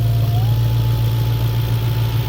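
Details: B7 Audi S4 4.2 V8 with straight-pipe exhaust, idle: deep, even idle with a faint steady whistle; no timing chain slap, no misfires, no howl or idle change with caps in place; normal idle.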